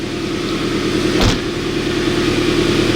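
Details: 1999 Toyota Tacoma idling with a large exhaust leak: very loud, raspy idle with an uneven puffing rhythm and one sharp chuff.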